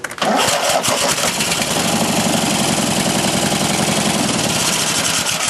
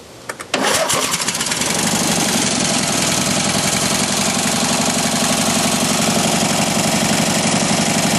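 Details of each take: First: Mastercraft racer engine on the booster battery, intake off, temporary choke from another tractor, right cylinder earlier low on compression: brief cranking catches within a second, then a steady, even run with no misses or knocks; starting and running well. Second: Mastercraft racer twin engine running, still warming up: catches quickly, steady idle with slightly lopsided beat; low compression on right-hand cylinder, improving as it warms and vibrating less.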